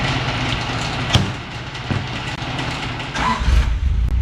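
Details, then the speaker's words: Deep steady burble through a loud free-flowing glass pack and cherry bomb exhaust, no ticking or puffing up front after the front exhaust was fixed with new hand-made exhaust gaskets; exhaust sealed, normal note. "Success. Success. got a glass pack on there and cherry bomb, and we got the exhaust up front totally fixed. No exhaust noise."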